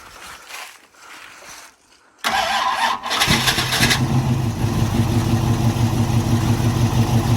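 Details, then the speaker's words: 1981 Cutlass with a 403 V8, first start in 2–3 years: cranks, catches and settles into a lumpy idle on fuel poured down the neck, then runs out of fuel. Fuel starvation; the fuel pump is not picking up fuel. "Alright, so we ran out of fuel again. We're going to try a couple more times and see if we can get this fuel pump to pick up."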